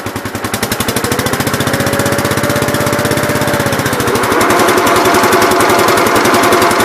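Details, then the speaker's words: Gravely 8123 with 50-inch mower deck after deck bearing replacement: steady engine thump of about four beats a second over an even blade whir, no grinding or clatter; far better than before, when it sounded like minions with sledgehammers. "sweet that sounds way way better i don't know if i took a video of this beforehand or not but this uh this deck sounded like a bunch of little minions with uh sledgehammers pretty much"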